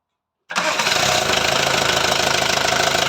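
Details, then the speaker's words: VW Transporter T4 1.9 TD, first start after engine reassembly to cure a rattle, air filter off: catches at once into even diesel idle clatter with steady rhythm, no loose rattle: normal diesel idle. "oh right well it sounds good"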